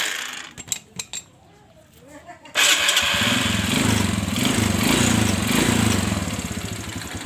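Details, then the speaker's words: Kawasaki Kaze R single-cylinder, which crackled when the clutch was engaged, after replacing the faulty clutch bearing: even steady idle while the clutch is worked, no crackle or grind; clutch now healthy. "Nah, oke, saya kopling terus, ini tidak menimbulkan suara."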